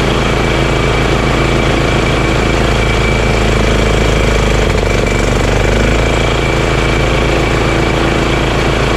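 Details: Honda GX340 single-cylinder in EZGO Workhorse golf cart repower, after verifying key start and kill switch shutoff: steady, even low thumping idle with no misses or knocks, running smoothly. Normal idle.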